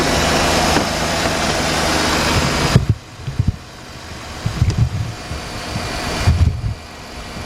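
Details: 2007 Jeep Grand Cherokee Laredo 3.7 idling while alternator output is checked with a multimeter (14.1 V, charging fine): smooth, steady idle under a few handling thumps, no whine, squeal or misfire; healthy engine.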